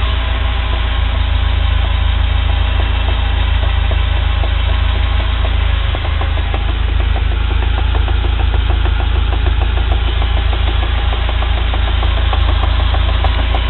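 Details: UAZ Patriot pulling away gently in first gear; heavy low rumble with a loose repeating knock about three times a second from play in the driveshaft universal joint cross. Worn driveshaft U-joint.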